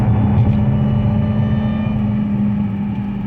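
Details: 2003 Infiniti Q45 Premium, supercharged, driven through a roundabout after sitting a long time: steady mid-pitched whine over low engine rumble; ordinary supercharger noise, nothing wrong.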